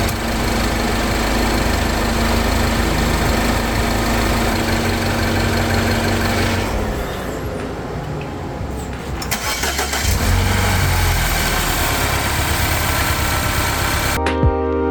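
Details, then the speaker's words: 2014 Mini Cooper Countryman S at about 98,000 miles after replacing the failing belt friction tensioner that caused a high-pitched squeal: clean crank and start, steady idle with AC cycled, no belt squeal or chirp; restart also normal. "Everything looks really good, actually. Everything sounds good. Everything looks good."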